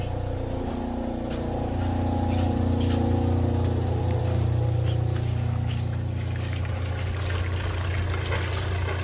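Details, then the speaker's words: Boat generator on a Pursuit 365 Sport Coupe, with the fire suppression bypassed and the fuel pump working. It starts well and runs with a low, steady, even drone and a regular beat, no misses or knocking: a normal start and run. "Let's just see if it fires up and runs. And we got one more thing to check. And the fuel pump's working. She started good."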